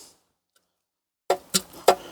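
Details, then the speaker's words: Ruston PB8 engine, first start after fitting a new big-end shell: four sharp hollow clacks of piston slap. The cylinder is too worn for the new piston, so the original matched piston will be reused. "The piston slap in there is unreal. Hear that? That's the piston going like that in the cylinder. So that piston, or that cylinder, is far too worn to accept that piston."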